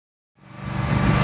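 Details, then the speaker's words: John Deere 316 with a swapped-in 18hp Briggs & Stratton Vanguard V-twin, before repair: it runs rough with an uneven, stumbling putter even on 3/4 choke and dies with the choke off; a clogged carburetor main jet. "Okay, so I got her outside, and you can hear that it's sputtering, and that's actually on 3/4 choke. So we have the choke on right now. If I take the choke off, you guys will hear it, she just completely dies. So that is in fact a clogged main jet."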